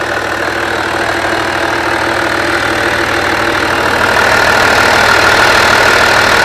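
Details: Skoda Superb Mk1 2.5 TDI V6 diesel, run again after sitting unused since March 2020, with a burst boost hose that caused black soot at the rear from a wrong air-fuel mixture: even, steady idle with a regular beat and a slight rise in level, no knocks or misses.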